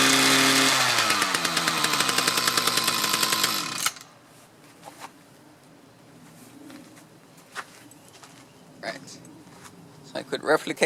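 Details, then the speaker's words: Mantis tiller with Kioritz/Echo two-stroke engine bogging under load: screams high, sags in pitch and cuts out; it recovers after idling. Dirty carburetor and fuel lines; owner suspects a fuel delivery restriction, maybe the fuel filter. "problem again as soon as you let off the gas let it idle for a little bit and reapply it works so i'm thinking it's not getting quite enough fuel no good enough fuel delivery after a long time"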